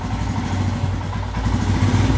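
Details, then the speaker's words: Royal Enfield Himalayan after throttle position sensor check and adjustment to about 5.5–5.6: low, steady thumping idle holding an even beat with no hunting or stumbling, then revving on acceleration. Normal idle. "and there you go you see that perfect ITIL just singing in harmony you accelerate"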